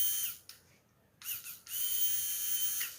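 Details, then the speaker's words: Royal Enfield Classic 500cc fuel pump motor, removed from the tank and bench-tested with wires connected directly to positive and negative during cleaning for a missing problem: strong, high, steady whine in short bursts, spinning up fast; motor healthy and reused. "അപ്പോൾ ഇത് motor വർക്കാവണം എന്നുള്ള നോക്കുകയാണ്. ഉണ്ടോ, വർക്കാവുന്നുണ്ട്, sound കേൾക്കുന്നുണ്ട്,"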